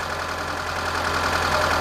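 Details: 2006 Mitsubishi Lancer with waste-spark ignition, after replacing ignition coil and plug wires for misfire, rough start and loss of power: steady, even idle with a smooth low hum and no stumble or skip; misfire fixed. Normal idle.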